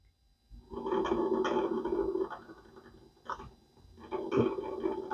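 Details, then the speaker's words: Philco 46-1203 turntable that barely turned, just reassembled and powered on: irregular growling, groaning bursts over a low hum as the platter turns; owner wonders if a gear is at fault; worn idler wheel noise. "does make funny noises the on and off button work I wonder why it makes those noises huh"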